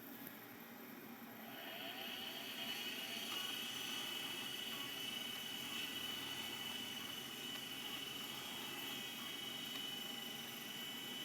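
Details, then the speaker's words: Dusty 8425 vintage hard drive on power-on: high whine climbs then hangs at one pitch with faint ticking, never settling into a clean run; drive tries but struggles to spin up fully. "well it certainly tried that's better than a lot of the other 8,000 series we've got I think that's the first 8,000 to actually try"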